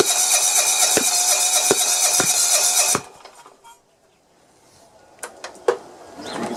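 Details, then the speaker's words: John Deere 170 mower, Kawasaki FC420V engine, strong spark, flywheel key good, valves checked, head gasket replaced: harsh cranking broken by sharp pops about every half second with flame at the carburetor, then dies; backfire through carburetor, valve problem suspected. "yeah it's backfiring out of the carburetor"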